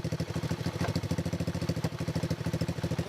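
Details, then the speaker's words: X18 pocket bike single-cylinder after replacing oversized carburetor with stock carb, jump-started: quick even putter about two hundred beats a minute, steady; much quieter than before, clean normal idle. "quiet bike. Very quiet bike. Sounds a lot better than before, definitely. Sounds quiet."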